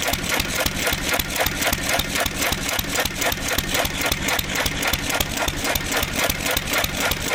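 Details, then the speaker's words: 1927 IHC M hit-and-miss engine, not run in 19 years, AC Delco fuel pump diaphragm shot, running on starter fluid from the starting bowl: steady chuffing near four pulses a second with a sharp crack each firing. "So, I discovered that the fuel pump isn't working. So, I did try to mess around with it a little bit, but we're just going to run it off the starter fluid here."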